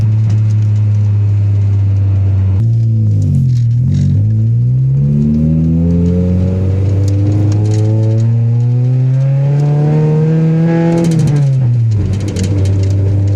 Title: Gsr misfire